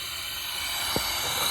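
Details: Toyota Tundra leak-down test, cylinder 5, engine not running: a steady airy hiss of air escaping past the intake valve seats, with big pressure loss. Cylinder 3 had air bypassing the valve seats and a lifter stuck down.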